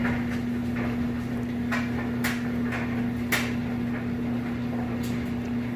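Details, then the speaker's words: Kenmore electric dryer on timed dry, high heat, tumbling wet clothes just moved from the matching washer: a steady low drum-motor hum with soft irregular thumps, running smooth and even. Normal dryer operation. "As you can see in here, sounds great. Nice smooth operation."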